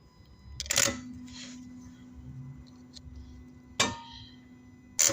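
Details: Vauxhall/Opel Corsa CDTI starter motor: three single sharp clicks a few seconds apart with no cranking after any of them; the solenoid engages but the motor won't turn because of worn brushes.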